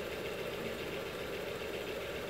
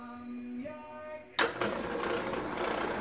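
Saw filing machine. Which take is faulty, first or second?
second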